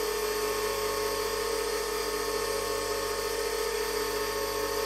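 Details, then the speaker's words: 8-inch/200mm bench grinder with wire wheel, test run after noting Pringle-shaped centre ring and dented plastic bushes; even steady hum, constant pitch, no wobble or knock — runs beautifully. "but anyway let's just turn this on and see if we get any improvement in the [Music] see that that runs beautifully there's no"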